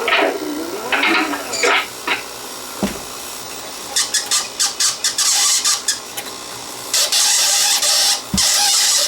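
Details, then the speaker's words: 1965 Sony CV2000 (GE-badged) reel-to-reel video recorder playing a 1960s home-video tape: stuttering high-pitched squeals and chirps in bursts as tape stalls; sticky-shed tape dragging on the tape guide and sticking everywhere. "See what I mean? Sticky shed. It's sticking to this tape guide here. Right there. Actually, it's sticking everywhere."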